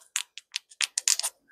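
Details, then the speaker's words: Craftsman 2-stroke weed eater carburetor being rebuilt, engine not running: about eight sharp, light irregular clicks from the metering diaphragm as it's flexed; overly stiff, stuck diaphragm, likely why it was repeatedly readjusted. "making a little bit of a clicking noise which means it's overly stiff"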